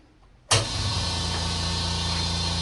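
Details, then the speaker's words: California Air Tools 8010ALFCAD ultra-quiet oil-free 8-gallon aluminum-tank air compressor, rated 60 dB: motor starts with a thump half a second in, then settles to a smooth even low drone; normal running. "At just 60 decibels, you can hear yourself clearly. You can have conversations with all those around you."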